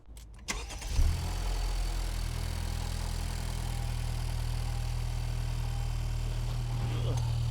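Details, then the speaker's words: 2021 Honda Civic Type R after new spark plugs, replaced for dropping mpg and slightly weird idle: quick crank, catches at once, settles to a steady, even hum with no stumble or misfire; smooth. "Hell yeah, smooth like a baby."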